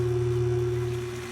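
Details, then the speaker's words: Frigidaire top-load washer after replacing drive belt and drain pump, small cold load: steady low hum with a clear pump tone as it drains strongly; drain pump working normally. "you can hear it draining nice and strong so in here the drain pump is working"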